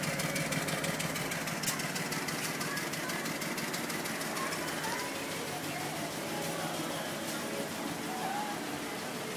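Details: 745 misfiring at idle, with a dash warning for cylinders 1, 3 and 4; the idle is uneven and stumbling with sharp ticking on top.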